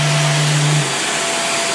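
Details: Greenote corded AC stick vacuum (18 kPa, HEPA, bagless): steady motor hum with a clear whistling harmonic tone when lifted off the floor, which drops away partway through; otherwise runs quietly.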